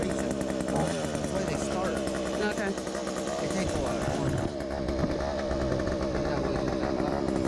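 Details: Petrol hedge trimmer after its nearly empty gearbox was repacked with grease to cure a metal-on-metal grinding noise. Steady high even buzz with no grinding or scraping. Normal running after repair.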